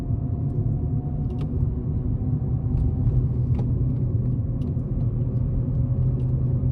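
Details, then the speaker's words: Ford Ka with suspected worn front wheel bearing, no play or rumble when spun on ramp, NVH road test at low speed up to about 20 mph; low steady droning whoa-whoa hum under road rumble; worn wheel bearing drone. "so hopefully you caught there there was a droning whoa whoa type noise and I think the maximum speed there was about 20 miles per hour"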